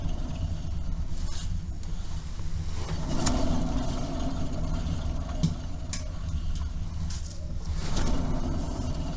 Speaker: И просто крутим и слушаем. Здесь характерный звук износа.